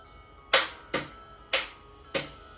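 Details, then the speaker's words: Battery-powered starter on a build being started for the first time, wired with homemade jumper leads on a brand-new, never-charged battery: four sharp single clicks about half a second apart, no cranking; solenoid clicks but starter won't turn engine, suspected insufficient power. "okay so that's me says that it's not getting enough power if it's not being able to turn it over you can hear the solenoid clicking so it's not getting the power or something back to the drawing board"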